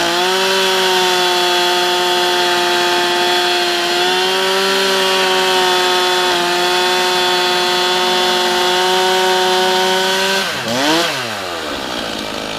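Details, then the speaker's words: Stihl MS311 chainsaw rebuilt with aftermarket piston and honed cylinder after burnout, first run-in start: revs cleanly, holds strong steady high pitch at full throttle, idles and drops smoothly off throttle; running well. "sitting here it's idling it's revving up there's no bug in it seemly running well pretty darn good"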